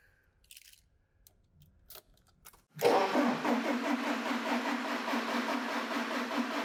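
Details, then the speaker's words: Engine cranked for about three seconds during an inductive crankshaft position sensor voltage test with a Pico scope: the starter spins at an even, fast rhythm but the engine never catches. Crank, no start. "like trunks its cranking but not starting you need to crank it for about three seconds to get a viable waveform onto your screen"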